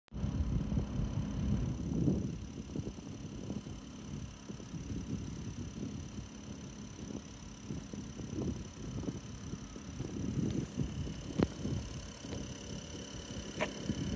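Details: Toshiba air conditioner outdoor unit with abnormal noise: a steady hum under an uneven, low rattling rumble that comes and goes.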